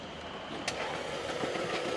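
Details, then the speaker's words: Audi 2.0T cranking on the starter: quiet, fast, even spin with no compression pulses; failed timing chain tensioner let the chain jump, causing internal interference-engine damage needing new valves. "That sounds awful. Sounds like there's no compression. Yeah, there's no compression."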